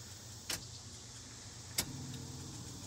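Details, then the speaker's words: Chevy K10 with an LS swap (L59 engine, essentially an LM7 with flex fuel), key-on: a click, then a faint steady low hum as the fuel pump primes normally. The starter only clicks, and the owner suspects it is the wrong starter. "you can hear the fuel pump working that's what I'm running into right now"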